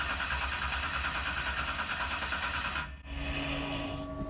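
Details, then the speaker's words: 711ci twin-turbo Hemi (Sonny Leonard) in a 19 ft Placecraft jet boat, first start attempt with oil pressure: about three seconds of cranking with no firing; rail fuel pressure perhaps only about 5, too low to start. "don't have enough fuel pressure at all"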